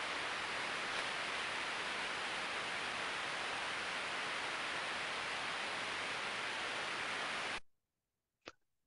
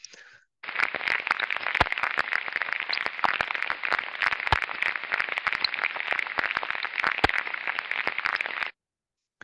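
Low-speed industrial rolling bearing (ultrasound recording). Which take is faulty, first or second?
second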